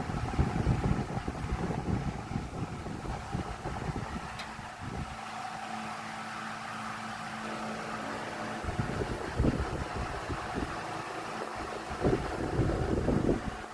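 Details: Vornado 12-inch oscillating Silver Swan Alchemy desk fan, about 3 years old, found on the curb: loud uneven rushing drone with irregular thumps as the head sweeps, barely blowing from the center; loud fan noise, cause not pinned down.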